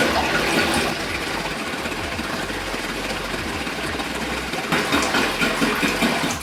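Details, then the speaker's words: Aiper cordless robotic pool cleaner fully submerged; steady rushing, churning water over a motor hum, taking water in one side and blowing out the other, normal operation. "pretty much what happening right now is the fact that it's going water to one side and it's blowing the other side"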